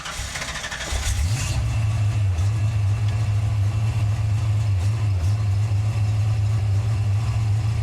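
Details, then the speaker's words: Car with replaced distributor: engine catches into a lumpy, uneven idle with deep drone as the alternator squeals; belt smoked, owner suspects a bad alternator dragging the belt. "I don't know why the alator squeaking so bad it's either bad or something I don't know so let's just start it up let's see what happens"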